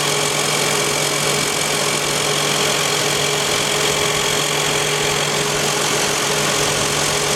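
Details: 2001 Toyota Highlander while driving: a steady hum with a constant high whine at one speed, after all four wheel bearings were replaced. A leaking, possibly low-fluid differential was suspected; the actual cause was out-of-round, unrotated tires.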